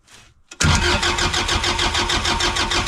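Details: Engine cranked by jumping the solenoid: starter spins it strongly at about three even pulses a second, no firing; switch circuit isn't telling the solenoid to turn on. Cause suspected, not confirmed.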